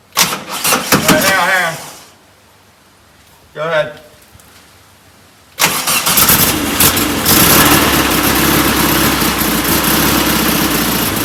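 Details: Performance VW air-cooled engine, reinstalled after a pushrod tube oil leak and distributor removal: brief cranking, then catches and settles into a steady, even idle with no misses; no oil under it this time.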